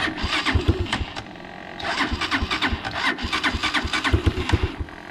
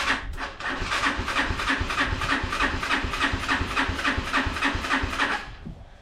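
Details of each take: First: Unidentified, probably Chinese four-wheeler, cold day, after new fuse fixed wiring, warming up before oil change: starter churns briefly, engine catches and settles into even, slightly lumpy choke idle; normal cold start. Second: Unidentified, probably Chinese four-wheeler, choke on, jump pack, started via solenoid with screwdriver and starting fluid: steady cranking about 3.5 beats a second, never catching; bad-smelling gas, carburetor jets suspected clogged.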